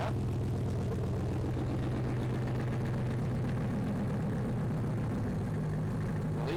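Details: 5.3 V8 swapped OBS truck after hardwiring fuel pump power and ground on relay, cold start: low steady V8 rumble, no stumbling or misfire, owner hears an unidentified small rattly knock; normal running.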